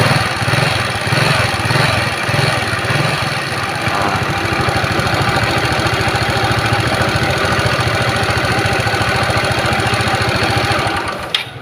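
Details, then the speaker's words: Yamaha Mio Sporty scooter, hard to start and rarely serviced, idles coarse and rattly with rough churning from the CVT side; worst noise in the CVT, valves also rough. "ini suaranya sudah Kacau sekali ya sudah ambul aduk paling besar ada di bagian CVT ada di bagian CVT"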